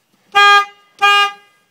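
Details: 2003 Honda Element after replacing the dead horn with a FIAMM Freeway Blaster low-tone horn, turned to face the back plate: two short, loud, clean blasts with a bright steady pitch, no rasp or drop-out; normal horn.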